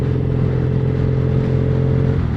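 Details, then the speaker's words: Triumph Bonneville SE 865 with D&D Predator aftermarket silencers, on the road in top gear at 45 mph: steady deep boomy exhaust drone, louder than the standard pipes. "and Top Gear 45 miles an hour it's definitely louder than the standard pipes that's for sure"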